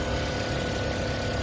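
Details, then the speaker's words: 2010 Toyota Prius hybrid after replacing three failed ignition coils (cylinders 2, 3, 4; codes P0352–P0354): even, settled idle hum with steady low pulse, no stumbles or shaking; engine now idles normally, unlike the violent shaking on arrival. "อีก5วันนี้นะเครื่องยนต์ได้เดินนิ่งปกติแล้วนะต่างจากตอนแรกที่มานะครับ"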